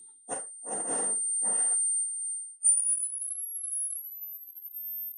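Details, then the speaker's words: Late-1950s Bush VHF 64 valve radio after replacing leaky wax capacitors in audio stage: brief rough bursts then steady loud clean high whistle above 12 kHz at low volume; audio stage much improved. "in excess of 12 khz and I can even hear that with my hearing so I'm pretty sure that's better and it's a lot louder really is loud now"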